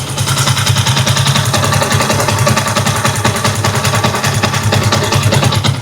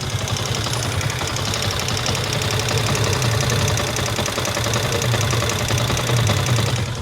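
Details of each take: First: Small motorcycle engine with about 50,000 mileage, after replacing a camshaft and a roller rocker arm that had free play and causing a head noise: steady, even idle beat with no clear top-end ticking. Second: Motorcycle, 50,000 mileage, idles with a fast, steady tapping from the cylinder head; on opening, the roller rocker arm had free play and the camshaft was worn, both replaced.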